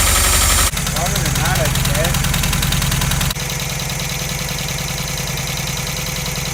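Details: VW Vanagon Westfalia restarted after a week of attempts, with new spark plugs, fresh gas and injector connectors refitted; steady, fairly even low idle settling after a brief rev, no misfire or knock. Normal idle.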